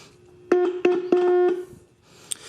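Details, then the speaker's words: Restored CONAR Model 230 tube signal tracer, audio section, probe touching a 400 Hz signal-generator output: clean loud 400 Hz tone in short bursts, no buzz or distortion; audio stage works. "now when i take the probe and touch it to that we should be getting uh should hear that 400 hertz tone wow let me turn that down a little bit"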